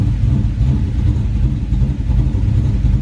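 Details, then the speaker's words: Car "Onyx" with Sniper fuel injection and an upgraded high-flow fuel pump (about 90–100 gallons per hour), fires right up; deep steady V8 rumble, firm and even, no miss or knock, normal cold idle. "oh yeah fire's right up awesome"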